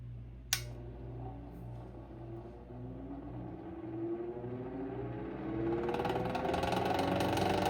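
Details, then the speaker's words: Westinghouse Pacemaker 10-inch desk fan, restored with new switch and cord possibly replaced earlier: motor hum spinning up with a fast, fairly regular rattle building to speed; rattle worse since restoration, eases when pulled down, source unknown. "fan has a awful horrible rattling problem. I don't know why, but like when I whenever I got it, it didn't have a rattle as bad. It still had a rattle, but after I restored it, it's worse."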